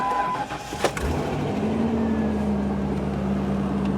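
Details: 1997 Ford Explorer Limited V8 2WD salvage rebuild: brief crank, then the V8 catches at once and settles into a smooth, steady idle with a faint even hum. Starts fine.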